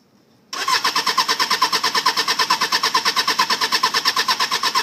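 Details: 1995 Suzuki Katana 600, ran fine after purchase, won't start after sitting overnight: starter cranks steadily about three pulses per second but never fires; previous owner blamed battery, cause unconfirmed.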